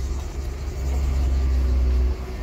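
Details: Mercedes S202 at 412,000 km, previously limited to 4000 rpm until the culprit part was found, now back to its full 150 hp: deep, even engine rumble under light throttle with no misfire or stumble, running smoothly and pulling normally.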